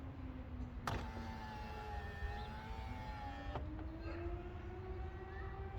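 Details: 2010 Toyota Camry XLE driver's window, door panel removed after a noise on opening: steady motor whine as the glass travels, pitch edging up toward the stop, no rubbing or scrape; window operating normally.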